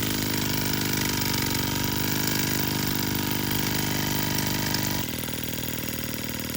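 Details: Sterlingkit model steam engine and boiler kit, water leaking at the cylinder head and pressure gauge reading no pressure (owner thinks the gauge is bad): quick, even chuffing at about three and a half beats a second over a steady hiss; running smoothly.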